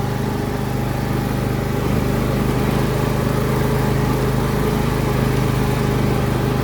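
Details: Briggs & Stratton Intek V22 in a John Deere L118 after blow-by rebuild, driving around: even, steady engine drone with no misses, knocks or surging, no smoke; slight transmission whine noted, tranny service planned; engine running normally.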